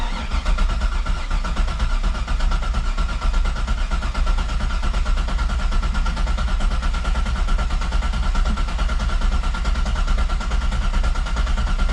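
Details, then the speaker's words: Corvette with a freshly rebuilt engine put back in, first crank in neutral with the e-brake on and a freshly charged battery: steady low cranking, uneven and galloping at first, then settling into an even rhythm as compression builds; no oil pressure seen on the gauge yet. "Healthy fucking battery. I just charged it. I just had it on the charger. You hear it? You hear the compression? How it just started building up?"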